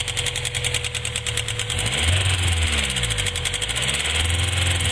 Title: B20z ticking noise.